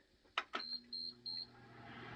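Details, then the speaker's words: Lasko tower heater at its first startup of 2020: three quick high beeps at switch-on, then the fan spins up to a smooth, even hum. Normal power-on; dust could be smelled burning off afterward. "we got power it's running okay"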